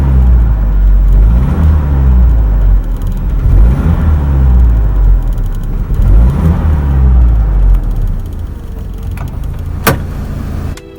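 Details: GAZelle Business, UMZ-4216 engine, about 230–231 thousand km, service life nearly used up, oil-change history unknown: a heavy, rough note with a dull knock that swells under throttle load and eases as revs drop; piston knock, with the pins fine.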